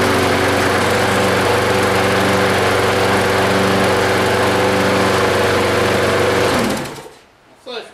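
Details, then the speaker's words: Yardman mower single-cylinder engine, sat 2–3 years, primer bulb no choke, first crank after reassembly: fires and runs steady even buzzing for several seconds then shuts off; healthy run. "Pretty good. Be setting for 2 or 3 years."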